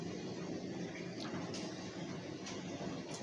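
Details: Ninja 8 kg B-class condenser tumble dryer running with clothes in it after a heavy cleaning and minor fix: low, even rumble with soft occasional thumps as the drum turns steadily. The belt drive is working properly.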